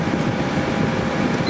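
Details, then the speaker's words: 2003 GE 12,400 BTU Samsung-made window air conditioner after cleaning, condenser hot, running at about 11.3 A and 1,259 W: even, loud airflow rush over a smooth low drone with no rattles or knocks; cooling normally. "and 1,259 watts. And it's blowing nice and cold. Working just fine."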